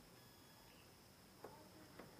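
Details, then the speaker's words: 2664 PNP transistor from a Texla CRT TV with an H-line fault, tested on meter continuity: steady high-pitched beep with probe clicks, legs fully shorted; transistor to be replaced. "इसकी दोनों टांगे बिल्कुल short हैं, beep की आवाज़ आ रही है।"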